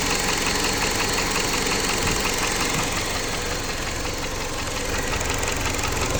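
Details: Jeep Patriot 2.4 engine at idle with a steady, rapid, sharp metallic ticking knock, about three per second; owner asks what it could be, source in the engine not pinned down.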